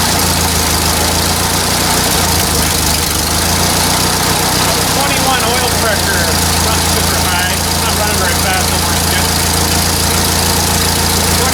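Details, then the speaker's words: 1944 Ford 2N tractor started after sitting a couple of months awaiting parts: low rumbling idle with an uneven, snappy beat on top; governor audibly snapping, to be replaced next. "And boy, I can hear that governor snapping from here. That's our next job, I think."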